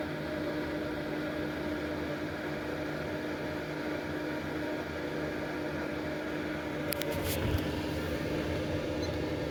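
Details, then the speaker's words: Early-1990s Lakewood model 767 heater (120 V, 12.5 A, 1500 W) switched from 695 W to 1500 W: fan speeds up to a steady, even whir and hum, no rattles or scraping; normal. "And crank it up to 1500 watts. And that powered the fan up to higher speed."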